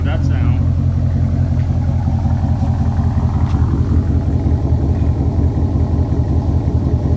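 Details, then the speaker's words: 2006 C6 Corvette V8 after installing Maximizer headers and X-pipe, no cats: deep loud throaty rumble, even and smooth, with a brief rev swell midway. Healthy exhaust note. "Wow, that sounds great."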